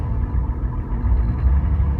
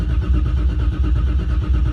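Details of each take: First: Car's first start of the season after sitting since last season, still warming up around 5 minutes in, deep idle rumble wavers and hunts after throttle release as the ECU modulates and runs rich; it needs more tuning. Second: Car's first start of the season: dry cranking with fuel pumps off until about 20 psi oil pressure builds; steady low churning of the starter turning the engine over without firing.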